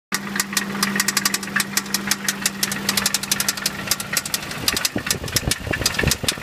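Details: 1990 Toyota 4Runner, 22RE engine, 223k miles, new head with 10k miles: idle with sharp uneven knocks and fast light ticking; owner suspects rod knock plus a valve tick, source unconfirmed.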